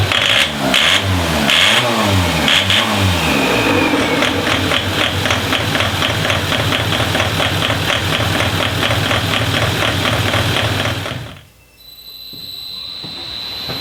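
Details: Diesel DervBus project car, engine up to temperature after initial ECU timing setup, extractor fan running: catches and runs with an even, steady beat of about four pulses a second, then shuts off; clean, healthy running.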